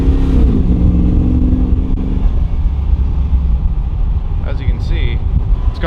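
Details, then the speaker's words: Hemi-swapped Jeep V8 idling: thin strained whine from a failing, year-old reconditioned power steering pump that needs replacing. "but as you can hear power steering needs to be replaced it's whiny it's tired"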